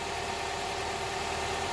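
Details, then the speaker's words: Honda Prelude SH idling after about ten minutes of running, following oil cooler/adapter gasket replacement for an oil leak; even idle with smooth hum, no knocks, ticks or surging; no leak seen, looks like a fix. "bring you back here again it's been running for like what ten minutes and I think it looks like it's a fix"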